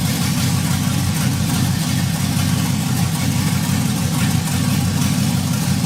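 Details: LS-powered 1957 Chevy Bel Air wagon running for the first time with new fuel pump and key switch: deep steady V8 burble, even low pulse, no ticking or knocking; healthy idle.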